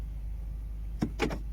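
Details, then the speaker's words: Ford C-Max (Focus), child lock malfunction warning, possibly from battery drain after being left unlocked. With the ignition on and the button pressed, two or three quick, sharp clicks sound from both rear doors. The actuators work and the error clears. "a few times. You can hear the clicks. I can hear them in both rear doors, so they are working."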